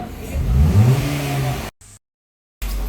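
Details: Hyundai i10 with throttle closed: engine hangs at a fast, steady hum around 2,000 rpm, throttle position sensor 1 signal circuit code; high idle from faulty TPS, ECU also possible.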